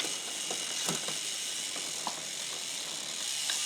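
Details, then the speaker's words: Newly installed SRAM XO Transmission wireless drivetrain on test: quiet freewheel whir with scattered light ticks and clicks while pedalling in the high gears; installer suspects a setup error, with the derailleur's two hash marks possibly not lined up. "something is wrong though yep can hear that I did something"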